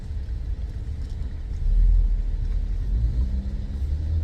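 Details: 2008 Opel Zafira B 1.8 petrol, manual, front wheel raised and spun in gear: low, wavering drone swelling and fading with speed; hub bearing hum, owner suspects front right, side not confirmed.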